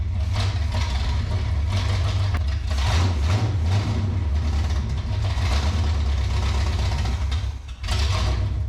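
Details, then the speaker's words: 1967 Pontiac Firebird V8 sitting 15–27 years, fed fuel from a squeeze bottle: deep rumble that surges and sags unevenly and nearly dies; stumbling, suspected wrong air-fuel mix or lack of fuel, not confirmed. "well she's trying to run uh I think our air to fuel mix ratio it's kind of hard to get with the squeeze bottle could be that tiny little hole I put in there"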